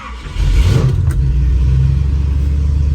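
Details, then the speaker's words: Ford station wagon 390 FE big-block V8 with new Pertronix ignition and new stainless Black Widow exhaust, heard inside closed cab with windows up at about 2500 RPM high idle; deep steady even rumble, very quiet, no cab drone: normal. "it's actually very [Music] quiet I'm talking a little bit below my normal speaking volume and I mean you hear that it's there but it's not that's 2500 RPM"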